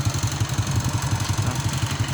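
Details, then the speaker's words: Honda Astrea small single-cylinder motorcycle idling with a steady chuffing beat and a buzzy rattle on each pulse; the seat is vibrating at idle. "Oh ini joknya bergetar. Ini dia. Ini joknya bergetar. Suaranya jelas banget."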